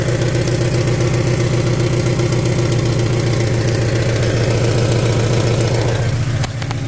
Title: catalytic converter, there's a weird noise and my car is not running as it show be. help